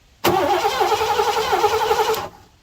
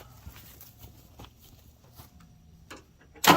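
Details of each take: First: 1987 Mercury Grand Marquis LS, abandoned since at least 2017, turned over without fresh lubrication: about two seconds of brisk, even cranking with steady starter whine, no drag; strong cranking, engine not seized. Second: 1987 Mercury Grand Marquis LS abandoned for about a decade, no fuel pump heard, owner suspects a bad fuel pump relay: silence, then the engine catches on sprayed brake cleaner, runs rough about two seconds and dies.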